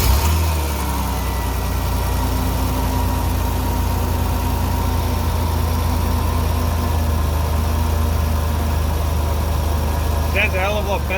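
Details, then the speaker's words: Worn alternator bearing after cleaning O2 sensor plugs, at idle: steady idle with a faint constant whirring whine, milder than the earlier grinding; bearing noise persists. "but it is still making that bearing noise like I said new alternators"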